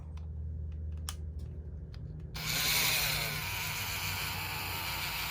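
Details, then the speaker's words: N scale Atlas SD40 model locomotive made in Yugoslavia (Mehano): motor runs with a harsh, high-pitched buzzing whir, far louder than expected; owner unsure if normal or something is loose inside. "the penitential SD40 and it it's loud it's really"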